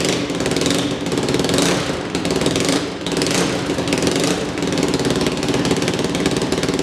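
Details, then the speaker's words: Yamaha YFZ 450 single-cylinder quad fires right up and thumps along evenly through a few throttle blips, with a raspy open exhaust note from a big hole in the pipe. Otherwise it runs really well; it needs a new battery. "Alright, she fired right up. That sounds really good. The big hole in the pipe doesn't help, but sounds like it's running really good."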